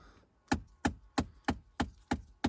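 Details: 2009–2014 Ford F-150 heater making sharp, even knocks about three a second from behind the radio, caused by a failing heater blend door actuator, which is replaced.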